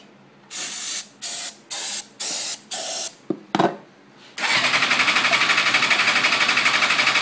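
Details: 2005 GSXR 750 frame with GSXR 600 K4 engine, clutch switch jumped; ran fine, then misfired, now won't start despite fuel, cleaned injectors, charged battery, starting fluid: short starter bursts then long even cranking, never fires; spark suspected.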